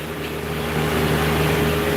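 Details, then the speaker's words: 60-ton Trane rooftop unit, compressors in tandem banks of two, about 140,000 each, staging, little maintenance over its life: steady even low drone with constant hum, no knocks or rattles; running normally, quieter than a residential 5-ton Goodman. "and it's you could hear the compressor sometimes with the stage in here but it's got you know Banks of two in tandem here and they're huge 140,000 m per compressor"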